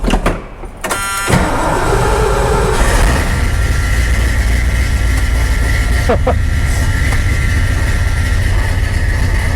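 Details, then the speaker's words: 1978 Ford F-250, likely 400 (door code M) or 351 V8, cold start after two throttle pumps: brief crank, then it catches at once and settles into a deep, steady, even idle; normal cold start and idle. "This is a cold start, and it was very impressive to me how well it runs."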